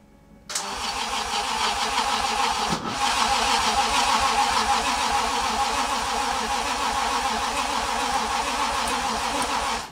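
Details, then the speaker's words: Toyota 2JZ engine, self-wired swap in a car unused for 10 years, first start attempt; starter churns steadily at about three turns a second for nine seconds and never catches. "ah ah ah c'est quoi c'est de l'allumage ça c'est quoi allez allez s'il te plaît"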